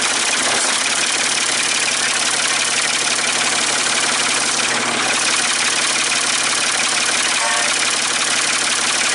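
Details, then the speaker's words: Ford 550 TLB backhoe, 3-cylinder diesel, first start after reassembly and bleeding fuel at injectors, cool breezy day: even, steady idle clatter with no misses or knocks under hiss; running good, only a small injector return-line drip. "I'm so glad that it's running good though."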